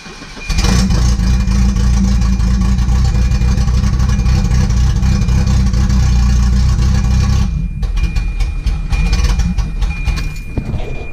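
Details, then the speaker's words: Volvo B230 after camshaft installation, cold start: loud, deep, uneven loping, surging idle with a choppy beat; lumpier from more duration and lift, expected. "right she runs it's definitely lumpier that's for sure a lot more duration and a lot more left"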